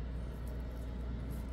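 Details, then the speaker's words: Home furnace after a burnt part and the thermostat were repaired and the filter replaced: low, steady hum with fresh air blowing, no rattles, squeals or surges; quiet, normal furnace operation. "Tahimik siyang umaandar. Pero ba tahimik na umaandar? Ibig ko sabihin, hindi po siya maingay."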